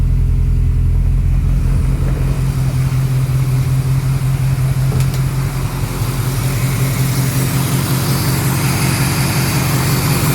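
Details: 1968 Austin 1100 Mk1 A-Series four-cylinder, first start after 3-4 months and mechanical work, some choke, about 18-19°C, carb on default settings: steady slightly fast even idle at about 1400 rpm, no knocks; later set to 900 rpm, carb needs tuning.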